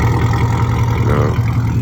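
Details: V8 Camaro after replacing a spark plug wire burnt by the headers with Speed Engineering wires: steady, even low rumble, the earlier "chicken" misfire sound gone, no skipping or popping.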